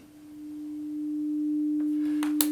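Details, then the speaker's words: 300 Hz test tone through a Behringer Xenyx into a Tascam recorder before the X32 is connected or powered: single steady, pure tone swells in and holds clean with no hum or crackle; signal chain normal. "And we hear a nice, clear 300 hertz tone."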